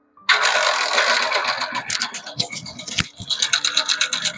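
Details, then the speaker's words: Hero Splendor Plus old model just after starting: loose, uneven metallic clatter over the single-cylinder beat from a worn, slack cam timing chain; engine then opened to change the timing chain and check the timing pad and tensioner. "तो दोस्तों, यह है Splender plus old model. इसका timing का इतना ज्यादा गंदा आवाज आ रहा है।"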